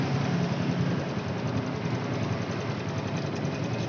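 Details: Honda Revo Fit motorcycle idling after cam chain replacement: a steady, even, smooth idle with no standout tick or knock. The tick heard at first start had become smooth.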